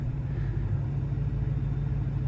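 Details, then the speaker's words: LML Duramax diesel truck right after a cold, windy start, with new batteries and a fuel additive; steady low idle, no stumbling. The truck usually dies about 20 seconds after starting in cold, so the owner watches whether it keeps running. "Fires right up. Don't you die. Don't you dare die, you piece of junk."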